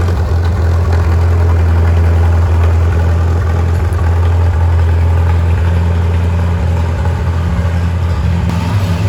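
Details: Farmall M tractor, misfiring and smoking: low loping idle with uneven beat and occasional stumbles, engine misfiring; cause not yet confirmed.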